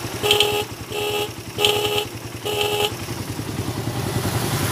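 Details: Motorcycle capacitor (elco) test, horn sounded with no battery: four short, thin, strained horn blasts over a rattly single-cylinder idle; weak horn from an unstable supply.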